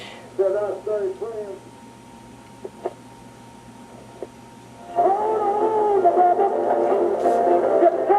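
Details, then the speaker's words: 1940s homebrew personal radio being restored, using a metal-plate capacitive antenna on an antenna coil, tuned for maximum sensitivity with volume at full. A faint, wavering station sits under steady hiss and hum. Weak reception. "you can hear Barely There is a station in there I have tweaked this for maximum Sensitivity I have the volume cranked all the way up"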